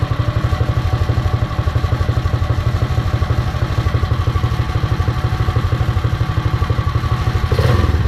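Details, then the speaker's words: Predator 212 single-cylinder on a Mega Moto minibike after fitting a CDI performance ignition kit, battery-powered, belt off: even thumping around four beats a second with light clutch clatter; runs crisp, healthy and responsive. "Alright, it looks good. Sounds pretty good too. That seems to run very well. It's very responsive."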